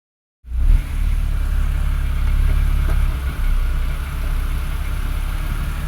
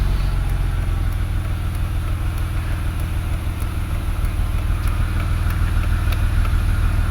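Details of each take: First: 2008 BMW X3 with an intermittent misfire felt in traffic and on long drives, codes on cylinders 1, 5, 3 and 6: deep steady drone under load with a faint stumble, misfire fixed with new OEM plugs. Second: 2008 BMW X3 with intermittent misfire, engine warmed up, idling before brake torque test; steady even low rumble with no stumble or skipped beats: normal warm idle, no misfire.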